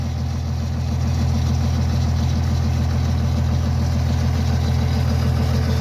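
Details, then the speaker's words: 1977 Ford LTD Landau barn find, fuel poured into the carburettor: loud, steady low idle pulsing about three times a second; owner suspects dead gas, tank supply blocked so it only runs on carb-fed fuel. "That's more gas. I bet the gas is dead."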